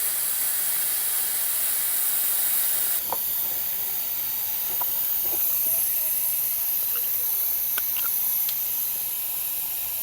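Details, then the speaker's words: Samsung refrigerator: steady high hiss with faint clicks, refrigerant escaping from a leaking pipe joint inside the cabinet, located with a stethoscope; the joint is to be cut open and brazed. "การรั่วเกิดขึ้นจากข้อต่อนี้จริงๆ"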